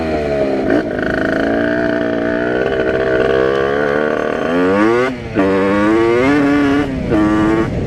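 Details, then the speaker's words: Rieju RR moped with tuned 80/85cc two-stroke, brand-new cylinder in break-in, carburetor not yet configured with biggest jet fitted, 4% oil mix, test ride: raspy blips through gears, blubbery soft rev rise; rich running. "it feels like it's running rich and awesome using 4% oil mixture just to make sure it's getting enough oil before they break in"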